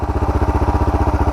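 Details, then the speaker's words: Suzuki DR650 single after carburettor and air box modification with new exhaust: even, steady thump at idle with no misses; owner judges it a good idle, on par with before the mod, and plans further idle and fuel mixture tuning. "Sounds alright. I think that's a good idle. Pretty on par with what it was before I did the modification."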